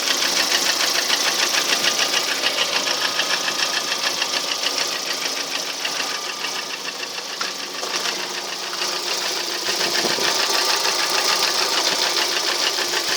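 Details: Lada Priora engine, a year later with only oil changes, running as before: steady, sharp metallic knocking at a few beats per second holding its pace; source unclear.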